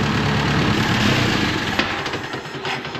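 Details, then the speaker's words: 1950s–60s "doodle bug" (possibly a golf-course or highway mower) idling with the water pump not turning and the head around 180°F on thermosiphon cooling. Steady, even low idle pulse that settles and fades, no knocks or misses; healthy running. "Yeah, everything looks really good. And its engine sounds nice. Everything looks even."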